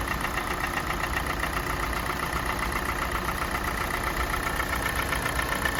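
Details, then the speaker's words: Kia Sportage 4G 2017, G4NA engine, 265,500 km, warming idle as rpm drops: light regular tick about two per second over engine note, absent at cold start; owner thinks not piston slap, cause unknown. "Вот сейчас обороты упали, слышно стало. По мере прогрева мотора возрастает вот какой-то стук, которого при пуске не было."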